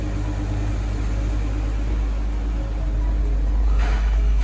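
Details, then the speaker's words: Dodge Journey 3.6 after reconditioned camshaft and four replaced defective rocker arms, fixing a constant valve-knock noise: deep, steady, even idle with no valve-train ticking, oil pressure in order; normal idle. "em qualquer coisa tá funcionando já não existe mais o barulho de batida de válvula funcionando redondinho"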